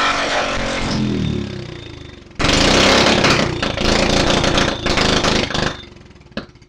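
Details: Go-kart small single-cylinder engine after repair, idle not yet set: catches on first pull and revs up with a crisp, lively exhaust bark; runs strong, just needs idle setting.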